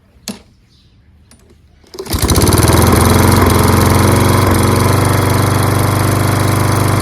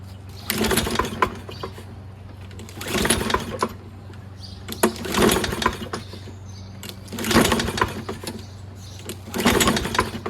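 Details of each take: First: Toro Recycler self-propelled mower, Kohler XT675 6.75 engine, after rusty flywheel and fouled plug fix and washing: fires on the first pull and settles into a strong, even, steady run with no misses. Normal running. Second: Toro Recycler self-propelled mower with Kohler XT675 engine, after cleaning a rusty flywheel: five recoil pulls about every two seconds, spinning briefly but never catching. No start, traced to a fouled spark plug with oil buildup.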